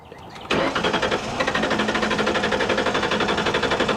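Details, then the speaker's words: 1998 Ford Explorer V8 after long sitting fires right up and settles into a smooth, quiet, steady idle with no tapping or ticking; normal idle. "It sounds smooth. So quiet. It didn't even tap. Wow. It wasn't tapping from sitting or anything. It fired right up."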